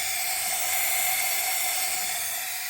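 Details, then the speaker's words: Fully built BMW engine, cams removed, cylinder leak-down test with engine off; owner suspects exhaust gas torched a valve seal, boost leaking into crankcase. Steady thin high hiss of air leaking out the port; air loss, head coming off. "You can probably hear there, the pressure is leaking out of the port."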